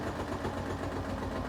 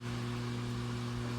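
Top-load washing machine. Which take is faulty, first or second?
second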